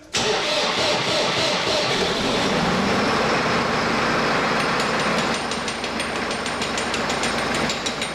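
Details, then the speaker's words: Massey Ferguson 4610, Sisu three-cylinder turbo diesel, after major engine repair for a bad EGR cooler leak that put water in the oil: it catches straight away, clatters up to full rpm and holds steady, with no knocks or odd noises. Running normally. "sounds good powers there we're full rpm no other noises just want to make sure there's no leaks"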